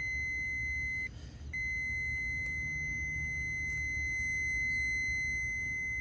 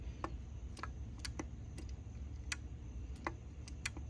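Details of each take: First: Continuity beep from a relay on the main control board of a GE front-loading washer (GFW650SSN0WW) that shuts off mid-cycle with a blank display; steady high tone, briefly broken then resuming, over room hum; relay contacts closed and making contact. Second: GE front-load washer GFW650SSN0WW that shuts off during cycles. A main-board relay is tested by holding a magnet at its coil. It gives sharp, irregular clicks, about ten in four seconds with uneven gaps, over a quiet hum. The relay chatters and needs replacing.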